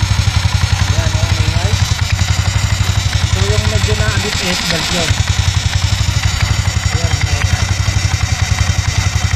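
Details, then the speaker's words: Skydrive 160cc scooter at idle with the old pulley set fitted: a loose, uneven rattle under the steady putter from the CVT/belt side, from a worn pulley set loose at the spline; the noise is heard at idle but not at cruising speed. "Yung parang nalagotok mga kabrando, yun yung maluwag din ho sa kanya pinaka-spline."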